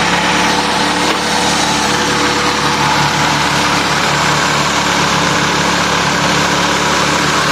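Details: Honda Accord F22B engine idling after a no-start fix: shorted wiring at the ECU harness, fuel pump, main relay and ignition switch was rewired. Smooth, even idle with steady pitch and no misses, knocks or ticks; the engine is running healthy.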